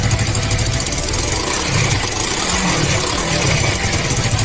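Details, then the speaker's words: Suzuki Inazuma GW250 twin at idle, exhaust system cleaned up to a single exit on one side: a steady, fairly soft, low burble with even firing and no knocks or rattles; normal, healthy idle. "As I can see, not too loud. I love the low decibel sound, it's good."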